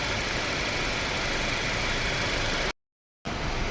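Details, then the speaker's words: Mercedes-Benz C-Class W204 C180, 2.1 engine, after repair of silent no-start with gear position not displayed (transmission oil checked, no leaks): engine starts and idles evenly and steadily with no knocks, ticks or rattles; normal idle. "สำหรับอาการสตาร์ทเงียบนี้ก็ติดเครื่องได้ครับไม่ต้องเป็นห่วงแล้วเราไปลองวิ่งครับ"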